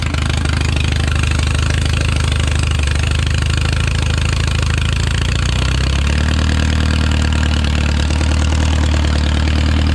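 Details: Original early-1950s engine of a Renault 4CV (car a 1952; engine failed early 1950s with cracked block, weld-repaired), reassembled and run for the first time in ~70 years, warm: even throbbing idle settling slightly lower partway, no knocking or misfire, barely smoking; normal idle.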